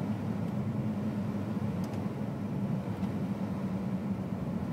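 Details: 2001 BMW 330 E46 automatic on LPG idling: low hum wavering unevenly, idle fluctuating and stalling; fine on petrol, new LPG spark plugs and upgraded vaporizer didn't fix it, cause unknown.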